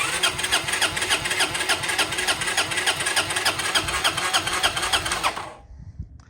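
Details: 1993 Honda Helix scooter found in a sand dune, spark plug fitted and faint spray of starting fluid: even starter cranking about three and a half beats a second for five seconds, engine never fires; cranks, no start, CDI light flashing.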